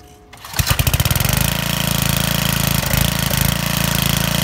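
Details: Trash-found Homelite 8 hp 4400 W generator, long unused, with fuel pump, started after priming and opening fuel valve: catches within a second and settles into a steady, even single-cylinder beat with no misses, running normally.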